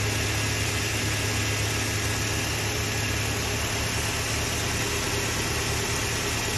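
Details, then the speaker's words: Toyota Hilux 3RZ-FE 2.7 L gasoline after idle screw adjustment, idle raised to just above 1000 rpm to allow for load and cold weather: steady smooth hum, no hunting or stumble; idle properly set. "yeah realistically by around a thousand is what you want because when you put that load on it see how it drops it down"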